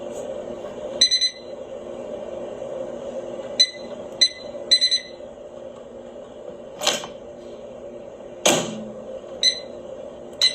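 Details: Whirlpool AMV2307PFS-0 over-the-range microwave, door switch previously replaced: faint steady mid-pitched buzzing/humming from behind the button, recently developed, under scattered clicks and beeps; high-voltage section suspected, cause unconfirmed.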